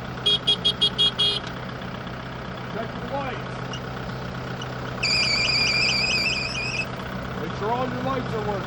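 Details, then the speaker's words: Kubota broom tractor diesel running during a pre-trip inspection: a high, wavering belt/pulley squeal rises over the diesel rumble; the bad accessory pulley is the one that keeps stopping. "You can hear now that it's going, it's got a belt or a pulley squealing."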